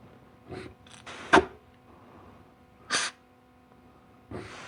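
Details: Air check of the 3-4 and forward clutches in a 700R4 transmission from a 1991 Camaro Z28 during teardown: three short, sharp air bursts, each cutting off cleanly with no lingering hiss; clutches apply tight and hold, normal.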